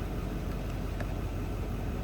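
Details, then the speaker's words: 2024 Chevy Silverado 2500HD, 6.6L L5P Duramax diesel, just started after fuel filter and billet housing replacement and priming: low, quiet, even rumble with no knocks or misses; smooth idle. "I don't hear it going again this time, so I'm gonna go ahead and start it up now. Foot on the brake. Cranked right up."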